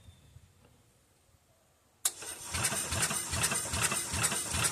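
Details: Old single-cylinder Onan 3.0AJ-1R RV generator, checking spark after sanding the points: starter churns evenly about 2.5 beats a second without catching; cranks, no start. Owner suspects points need cleaning or setting.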